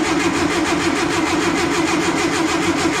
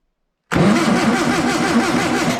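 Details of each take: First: Stored warehouse-find air-cooled VW engine, gearbox in neutral, first crank test before any spark check: even, free cranking at about four beats a second with no knocking. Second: Long-stored air-cooled VW engine cranked with 12 volts fed to the coil: steady even cranking with compression rhythm for two seconds, no catch; no spark, ignition points dirty and corroded; owner wonders if system is 6 volt.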